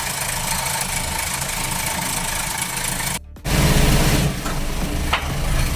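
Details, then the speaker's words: 2011 Buick GL8 (G18) engine with a 6AT gearbox, running with a busy, rasping rattle from the timing side; the noise is caused by worn timing components. "发动机异响是正时组件的问题。"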